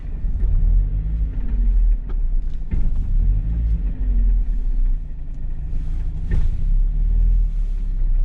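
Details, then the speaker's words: Mazda Miata rear differential, clutch let out aggressively: under low engine rumble, a few sharp separate metallic clunks come from the rear, showing driveline backlash, possibly from worn gear teeth. "oh yeah that big metallic clang some sort of backlash in the system either worn out gear teeth basically leaving play and gives you that clunk"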